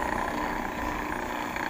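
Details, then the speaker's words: Bearing-converted electric fan humming with an uneven rattly buzz because the bearing is loose and playing in its seat. "so Naglalaro po yung bearing k ganyan"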